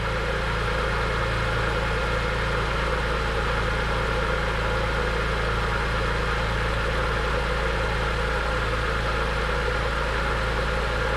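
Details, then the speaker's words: Cheap BMW E46 M3, first start after oil change on overfilled engine, running very smoky: smooth, constant idle with steady beat and no misfires; healthy running. "she runs guys sure i'm good not a single misfire pretty happy about that"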